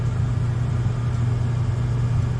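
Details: Furnace blower motor, after a new control board was fitted, had to be spun by hand to start and runs slowly with a low, sluggish, steady hum; capacitor or worn motor suspected.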